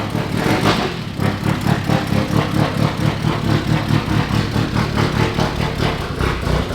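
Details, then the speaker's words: Budget 1.8T engine swap into an E36 on first start, timing set close; lumpy idle with an irregular pulse about ninety a minute and one cylinder missing, suspected to still have the old spark plugs in it. "It sounds so fucking cool. We're missing a cylinder, but dude, that wasn't even staged."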